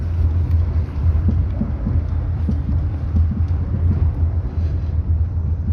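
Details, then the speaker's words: Jeep Renegade test drive, otherwise pleasant and quiet: sharp dull clunks hit irregularly on bumps over road rumble, loud and annoying; shock absorber then removed for analysis. "tirando a exceção esse toque toque aí chato é alto hein ó instala bem cara horrível"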